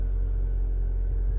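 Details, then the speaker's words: Salvage Range Rover rebuild, air suspension previously not inflating because access-height button was pressed; released, raising to off-road height: steady even low drone, no breaks or clicks; compressor pumping car up normally. "We're now going into off-road position, and it's actually the car's raising up in the air."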